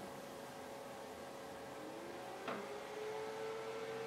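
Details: DIY temperature-sensor fan speed controller with heat applied: after a click the fan's hum climbs in pitch as voltage goes straight to 12 V, settling into a steady, even full-speed whir; runs smoothly.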